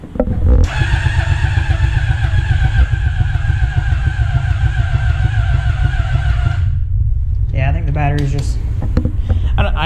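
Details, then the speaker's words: Honda CBR600RR engine in off-road go-kart rebuild, starting fluid sprayed, no coolant yet: starter drags engine slowly with laboured chug and whine for six seconds without firing; owner suspects battery lacks cold cranking amps. "don't think that this battery has the cold cranking amps to start this thing"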